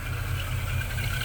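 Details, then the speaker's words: 6.6L Chevy G30 ambulance V8 after Edelbrock Pro-Flo 4 EFI swap, valve cover tapping fixed: steady, even low rumble at idle, no ticking or misses. Normal idle. "so there you go it's idling nice and smooth you can see inside very nice yes I fully installed"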